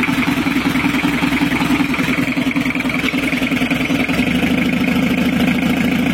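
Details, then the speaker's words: 1982 Toyota Hiace LH11 2200 cc diesel, cold at 38.4 degrees with no thermostat yet: clattering idle with a faint uneven lope; slightly rough, to be fixed later. "airnya masih ada sedikit pincang Lur untuk bunyinya kita biarkan dulu nanti kita baru kita perbaiki ya Lur"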